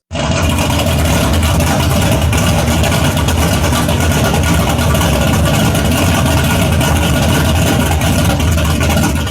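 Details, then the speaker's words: Old muscle car with a high-overlap cam: a deep, loping idle with an uneven, choppy beat. The high camshaft overlap draws exhaust back into the intake charge, so the engine struggles to idle. "that is because with the overlap it has on its camshaft, it's actually struggling to idle."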